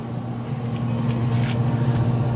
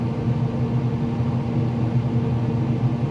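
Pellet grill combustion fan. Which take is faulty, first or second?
second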